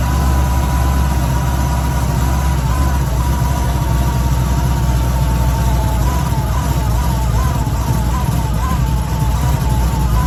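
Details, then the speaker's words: Cadillac CTS-V supercharged V8 first test fire after installing a new Kong Performance Stage X ported LSA blower, 60 psi fuel pressure, no leaks, engine covers off: deep steady rumble with an even beat and faint blower whine; sounds really good, normal running. "Sounds really good."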